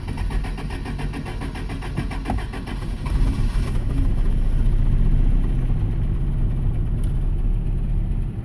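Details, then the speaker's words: Toyota project truck, unused for a while, starts and settles into an uneven, lumpy idle with a slightly irregular pulse, running a little rough from sitting. "yeah yes that would be a little rough perspiring and not having a been fired in a little bit as you can hear it spread a little little rough"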